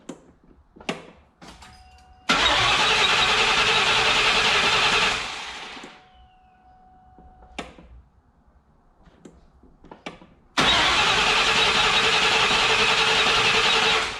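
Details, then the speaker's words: 1999 Mustang GT, freshly rebuilt engine, first start: two bursts of steady starter cranking at about 3.5 beats a second with throttle held wide open so the PCM cuts injectors, priming oil pressure; no firing, as intended. "it tells the pcm not to fire the injectors um so i'll do that a few times"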